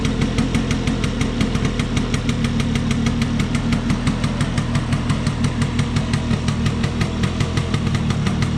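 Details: Vespa P200E two-stroke, restored after 30 years in a shed, after fixing air leaks and passing a leak-down test: steady even tickover about three pops a second, no hunting or stalling, which it wouldn't do before; normal two-stroke idle.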